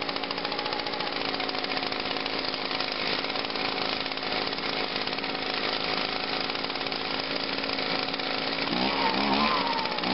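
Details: 2009 Echo PB-251 blower, cold start on choke after five primes: steady high-pitched two-stroke buzz running smooth and even with no misses or surging; normal running.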